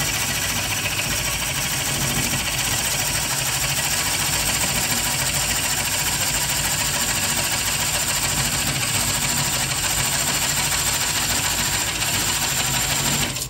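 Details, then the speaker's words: Bowl coring on a lathe with a Oneway Easy-Core, light pressure on the knife to stop bouncing: a steady even hiss of cutting over the slow lathe hum, no chatter or catches, and the shavings clear freely. A normal, smooth coring cut. "you can see these shavings are having no problems clearing themselves"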